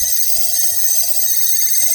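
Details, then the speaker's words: LG ThinQ refrigerator made January 2022: a steady high-pitched whine with a faint hiss. The fan turns fine, but the owner blames its motor (the "C motor") as the noise source. "Okay, that fan is moving but that fan is uh is making the the fan is okay but the the problem is the motor they call C motor"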